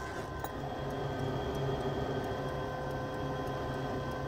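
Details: Carrier 90% furnace in a crawlspace, no heat call: faint, fairly regular ticking several times a second over a steady hum as the condensate pressure switch makes intermittent contact due to a clogged condensate trap, without throwing a board fault.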